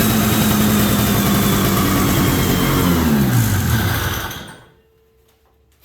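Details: 1973 Columbia snowmobile two-stroke with a rebuilt diaphragm carburetor and new fuel lines buzzes unevenly for about four seconds, then sags and dies. The crankcase-to-carburetor pulse line was left disconnected, causing rough running.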